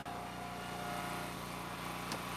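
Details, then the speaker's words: Eastonmade Ultra wood splitter splitting oak and sassafras: steady engine drone with a thin high squeak for about a second; owner suspects it needs grease. "there's the squeaking can you hear it we can i need to get some grease for that i know i know it"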